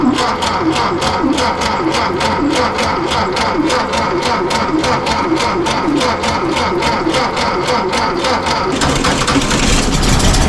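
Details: 1952 VW Beetle parked about 40 years, with fuel in the tank, the fuel pump pumping and spark confirmed. The starter chugs steadily at about three and a half beats a second for nine seconds without catching; it cranks but won't start.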